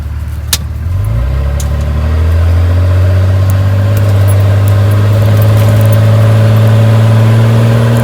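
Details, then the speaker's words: Dodge Ram 2500, third-gen 5.9 24V Cummins diesel, driving under load after turbo silencer ring removal: deep drone rising over two seconds with only a faint turbo whistle; turbo audible but not as loud as expected. "you can hear it for sure it's definitely not as loud as i expected it to be"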